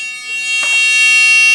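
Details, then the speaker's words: Power Probe IV circuit tester after shorting power to ground: steady piercing high-pitched beep nonstop while the tripped breaker resets itself. "it tells you circuit breaker resetting. And then it beeps like that continually until it resets."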